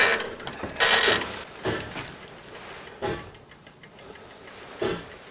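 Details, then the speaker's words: Old mechanical tower clock in the steeple of Pittsfield, New Hampshire's Congregational Church, wound weekly, heard from the ladder up to the bell tower: sharp, bright, slow, steady ticks over faint background noise; normal clock ticking. "all right you can hear the clock ticking top"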